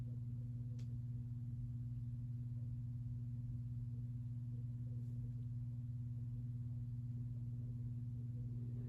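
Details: Sears-sold ceiling fan with Emerson motor, newer reversible plastic model, on low speed: steady low hum with a soft even pulse about twice a second, no rubbing or clicking; running normally.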